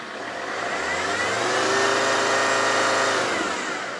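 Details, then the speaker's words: Alfa 159 off the road five years, started after a cleaned part was refitted: revs swell then settle to a rough, chuffing idle with heavy smoke and no revs past 3,000 rpm; owner suspects cleaner burning off. "Oh, that's smoking bad. This is now just at idle and it's just chuffing away."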